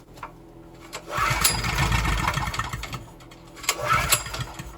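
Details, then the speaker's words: Wacker Neuson GP6600 6600W gas generator bought at auction, old fuel of unknown age, carburetor not yet cleaned. Pull start catches on starter fluid, cold, with choke being adjusted: a second or two of rough, smoky running, then another short burst of firing. "you can hear a good run so that's a good sign you can see it smoking i was cold in there adjusting the choke a bit"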